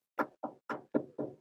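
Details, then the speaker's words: Loose black strap of a car cradle hammock slapping against the roof in the wind, air entering through a gap in the roof; six dull hollow slaps about a quarter second apart. "இதுல strap மட்டும்தான் காத்துக்கு படன்னு ஆடுது. அதுக்கு இதனாலனாக்கா நடுவில் gap இருக்கு பாருங்க, இந்த ரூஃப்ல இந்த கேப் வழியா காத்து உள்ள போகும்போது இது அப்படியே படன்னு இப்படி அடிக்குது."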